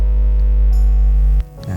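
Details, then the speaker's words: Audio recording mixer with a loud steady low hum from poor grounding at the negative pole or casing ground; the buzz drops away when the ground is touched by hand. "Gimana bisa kita cek ini contohnya kalau memang suaranya dengung seperti ini kita bisa cek biasanya di kutub negatif atau ground casing biasane kalau kita pegang groundnya itu hilang seperti ini"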